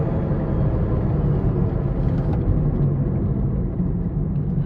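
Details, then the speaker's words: Deep, steady droning rumble under the car, like big knobby off-road tires, louder than speech and easing off as the car slows; worn wheel bearing. "Oh, it has a very specific sound. It almost kind of sounds like when those off-road trucks have huge knobby like on Jeeps, big knobby tires. It really sounds almost identical to that."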